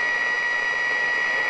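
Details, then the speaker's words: Unisonic 6 band radio tuning shortwave, hand near the dial affecting reception; steady hiss with thin whistle near 2 kHz swamps the band until it cuts out, owner blames noise from his workshop. "But I'm getting a lot of noise from my workshop. Oh my gosh."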